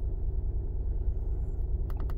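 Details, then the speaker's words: 2011 Honda Pilot 3.5 V6 with code P0302, at idle: an uneven, lumpy idle that stumbles irregularly. Cylinder 2 is dead-missing, with its misfire counts climbing. "all right so let's start it up oh yeah it's got a dead Mist to it"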